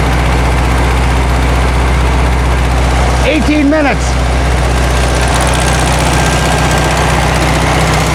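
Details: 1972 VW Karmann Ghia, air-cooled carbureted engine, first run after sitting for many years, choke just adjusted: a low, steady idle with an uneven, slightly hunting beat; a little jumpy, and the valves have not been done yet.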